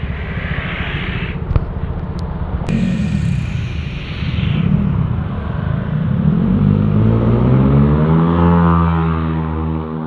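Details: Honda Vario 125 scooter with KZR/KJR SPC 59 engine work, road-tested under load with ECU mapping unchanged after curing high-compression pinging (ngelitik): pulls cleanly, the drone rising smoothly with speed and no rattle or ping; pinging is gone and power fills in.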